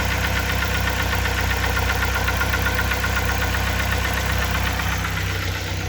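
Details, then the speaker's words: 2004 Mazda Tribute (Ford Maverick) 2.3 L petrol four-cylinder, about 193,000 km, warm idle: steady light knock about four taps a second; oil pressure normal, chain, sprockets, tensioners and plugs replaced; cause unknown, crankshaft or camshaft suspected by others. "нагреется 193 было 189000 вот начинает постукивать"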